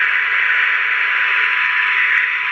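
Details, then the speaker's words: Circa-1977 Sears AM walkie-talkie (radio B) after recapping and switch cleaning: steady white-noise hiss with a clean constant Tiny SA test tone over it; receiver picking up signal properly. "We've got proper white noise on the radio, and you can hear we've got the tone from the Tiny SA going in"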